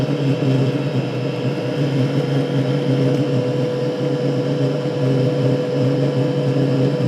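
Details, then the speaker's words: Diesel heater running on petrol, door shut and extractor fan off: an even, continuous roar, with less puff-puff-pause whomping than before; steady combustion. "It seems to be a lot more fluid, continuous, a continuous burn."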